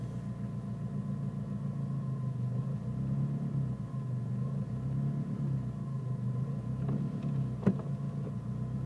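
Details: Nissan Micra turbo idling rough with a low, uneven rumble that wavers, a couple of sharp thumps near the end; also sometimes cuts out when braking, cause unclear.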